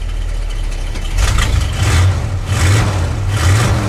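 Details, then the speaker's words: Old carbureted Ford V8 with new mufflers, cold start after pedal pumps in sub-zero snowy weather, idling on choke: deep, steady rumble with slow swells about once a second; a fast choke idle that sounds clean and healthy. "Boy, don't they sound good once I put some mufflers on them."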